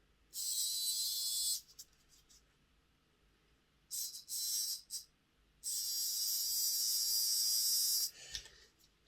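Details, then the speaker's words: Hornby R041 GWR Class 57xx Pannier tank model loco, motor spun with brushes refitted on the bench before gear oiling; short bursts of thin, rough high buzzing: noisy motor, rear bearing replacement considered. "got a funny feeling that's a noisy one um we could try replacing the rear bearing"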